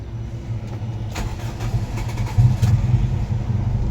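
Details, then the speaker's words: 1992 Toyota Corolla, 5E 1500cc engine, manual gearbox: engine catches and settles into a low, steady, smooth idle within a couple of seconds, no stumble or knocking; normal cold start. "แล้วนะครับเครื่องเดินเรียบเดินเบาดีครับ"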